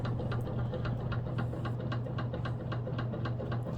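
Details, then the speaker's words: 1920s Robbins & Meyers 52-inch antique ceiling fan at full speed, about 200 RPM, low on oil, drawing under 2 amps: a steady motor hum with a regular clack once per turn from the rotor rocking on a worn motor shaft. "Yeah, that noise you hear is just the freaking rotor rocking on the motor shaft. It's pretty bad."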